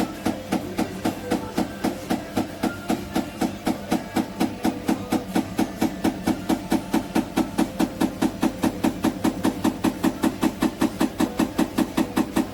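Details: GEDTECH GLL71200WH 7 kg 1400 rpm front-loading washing machine, under three months old: regular knock about once per drum turn as the drum rubs the door, leaving a mark; owner suspects a manufacturing defect.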